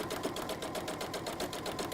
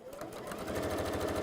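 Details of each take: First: Sewing machine stitching at a steady rapid pace with a hard clunk on each stroke, because a non-genuine universal bobbin is slightly smaller than a genuine one and sits loose; the cure is genuine bobbins. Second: Here we go. Purring along. A bit like you, HP.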